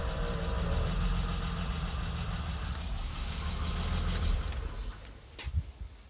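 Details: BMW E30 with an M20B27 engine: an uneven idle that sags and dies in the last seconds; the stalling comes from the fuel pump intermittently losing power through a bad connector.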